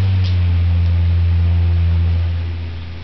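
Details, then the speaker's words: Rare unrestored Adams Bagnall-Jandus 12-inch four-blade stationary fan with Adams Bagnall split-phase motor, on low speed: low, steady, quiet hum with no ticking, rubbing or wobble; normal running. "high speed let's get them on medium that's medium speed very quiet fan for a ford four winger this is low speed"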